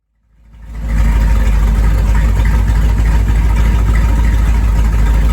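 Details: 1973 Corvette, first drive in five years: engine fires and holds a deep, even V8 burble with steady beat and no tapping; normal, healthy idle.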